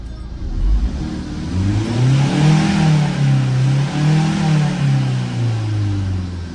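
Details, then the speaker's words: Tata 2.2 150 diesel pickup, after replacing flywheel and cam sensors (previously hard starting, check-engine light, rev limited to 2,800 rpm, no power), codes cleared; now starts easily and revs up and down smoothly, normal free rev. "ตอนนี้ก็ไม่มีอะไรมาลองสตาร์ทเครื่องดูครับสตาร์ทติดง่ายครับ"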